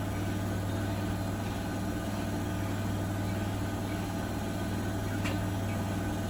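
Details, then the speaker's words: Bosch WFP3300 washer with new bearings and door seal, citric acid test wash, on flat ground: smooth even low hum as drum spins up, no bearing rumble or roar, tumble dryer clacking in background; normal spin. "So it's not super silent as it goes through. As it goes through the spin and increases the revs, but it's pretty good. It's not ringing in my ears like the other machines."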